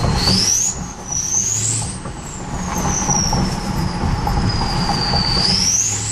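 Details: 2003 Powerstroke diesel: loud high turbo whistle rising and falling with throttle over the diesel rumble; insanely loud but normal turbo spool.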